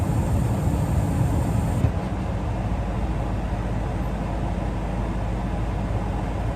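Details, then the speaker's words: Comfortmaker gas furnace shutting down: steady low rumble with fan rush, then a higher hiss drops out about two seconds in as the inducer winds down normally. "it scared me. Alright, I'll shut down."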